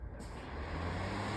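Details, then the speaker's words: Metal 16-inch pedestal fan switched back to high: steady rushing airflow with a low motor hum building up. Shockingly loud, the loudest 16-inch pedestal fan owned, but normal for a metal fan. "But of course, you gotta trust the manufacturer, because metal fans, they're obviously gonna be loud. And if this fan is loud, as you guys can hear, I'll just put it on high again."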